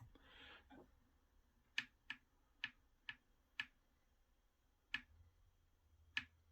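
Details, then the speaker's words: Jammed disc drive in an old PlayStation 3 that boots to the UI then shuts down: a handful of sharp, irregular clicks about one a second from the empty drive, sounding as if something is inside. Its gear train is binding. "There's something in the disk drive. Oh, that's what was making all the noise. The disk drive's jammed."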